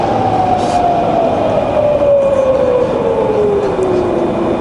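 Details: Fully rebuilt Bridgeport variable-speed milling machine head, spindle at about 1,000 rpm: a smooth, quiet, even whine falling in pitch as it slows, with no knocks or grinding.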